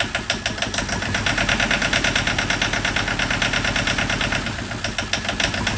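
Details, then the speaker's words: John Deere 650 4x4 tractor two-cylinder diesel, first start after budget rebuild of a blown engine, air bled from fuel line: loud lumpy beat about three pulses a second, steady at idle, no knocks or misses; normal idle. "she's a freaking Runner sleep oh awesome it sounds so funny it's two cylinders yeah oh my goodness"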